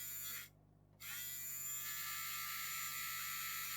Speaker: Well, it's not making the horrible noise now,